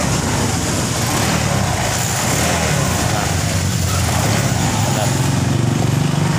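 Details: Honda Vario 125 LED scooter with intermittent starter fault and no error code: steady even engine hum with smooth low rumble after starting once socket reconnected; fault traced to a connector socket, fix only temporary until repaired; normal running.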